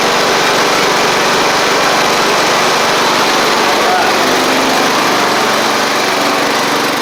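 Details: Sabre riding mower test-driven after repair (new drive belt, head gasket): small engine runs fast and even with a steady healthy buzz, no misses, knocks or surging. Light smoke is residual oil burning off from the old head gasket. Normal running.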